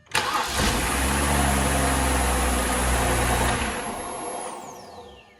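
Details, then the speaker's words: BMW 328xi 3.0 after starter replacement for a no-start: a short quick crank, then it catches cleanly and settles into a smooth, even idle; normal start with the new starter. "thing sounds good no odd lights on the inside except for I have a headlight out or something"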